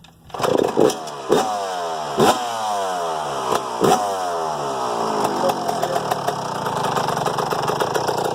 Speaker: so we just got done working on the yz125 and we went through the carburetor adjusted the float and we adjusted the air fuel mixture screw on the side of the car body and then it fired up